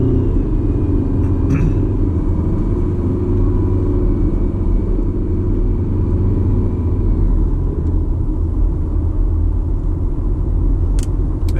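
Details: Detroit Diesel 4-53TIB two-stroke in truck, cold start, oil 28°F, no oil heater: deep even rumble with steady beat and no knocks or misses; normal running.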